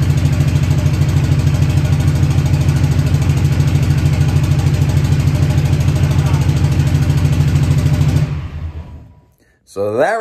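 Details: Newly built SoCal Diesel twin-turbo 1,000hp Duramax diesel at first fire-up: heavy uneven thumping about 200 pulses a minute, lumpy and unbalanced, then shutdown; firing order mixed up by mis-pinned injector harness.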